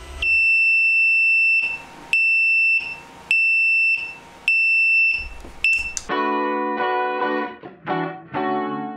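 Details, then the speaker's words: Ortur Laser Master 2 Pro engraver: shrill, high beeps about a second long with short gaps, from the infrared flame-detection diode tripping with no flame present; false flame-detection alarm. "Yeah that sound came from the laser. Not my smoke alarm. More specifically there's this infrared diode which is used to detect flames and unfortunately it also detects no flames."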